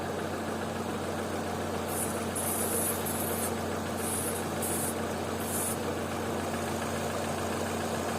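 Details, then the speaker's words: Opel/Vauxhall petrol engine with LPG conversion, normally idling high (2000–3000 rpm), now idling normally around 800 rpm while spraying around throttle body and vacuum hoses to find a vacuum leak; steady even idle, short spray hisses, no rpm change. "now because I'm making the video seats around 800 which is perfectly normal"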